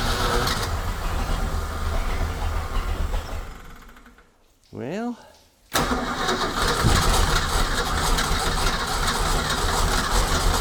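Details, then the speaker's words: 1976 Ski Nautique boat engine with Pertronix D231801 distributor, first start after restoration, timing about 5° BTDC: cranks, fires briefly, dies, short crank catches again; hard starting, won't stay running, owner suspects fuel supply. "so right now I'm thinking it's fuel because if I pump it"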